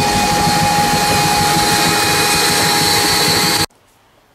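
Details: Insulation blower machine during a house renovation, started remotely via hose remote with possibly weak batteries; loud steady motor roar with constant high whine holding level before shutting off abruptly; blower sounds healthy.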